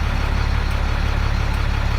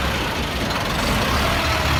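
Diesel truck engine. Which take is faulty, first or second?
second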